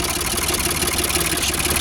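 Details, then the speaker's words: Old Ford 4600 tractor diesel after fitting a new injection pump, idle screw wound fully in: ticking over steadily at about 700 rpm, low even beat, no labouring or missed beats. "It's ticking over at about 700 now, which I think is okay. It sounds alright. Doesn't sound like it's labouring or anything,"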